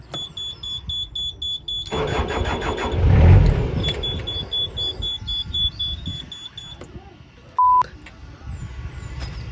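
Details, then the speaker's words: Narrowboat diesel engine overdue for service, starter cranks in steady uneven pulses for several seconds but engine never fires; cranking no-start, cause not confirmed. "didn't start"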